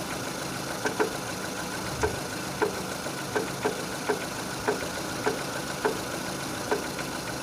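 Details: 2006 Renault Scenic 2, K4M 1.6 with automatic, 202,000 km, warming up: sharp, slightly uneven knocks roughly every half second over a steady idle from the lower end, appearing as the engine heats; cause not pinned down.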